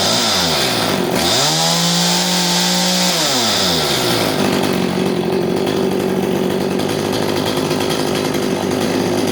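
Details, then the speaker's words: Chainsaw (CS310) whose chain kept spinning at idle, after the clutch spring was fixed and the low jet screw reset: quick rev rises and falls, then a steady, even idle with no surging; chain no longer spins. "you can see that the chain is no longer spinning because we took care of the spring on the clutch"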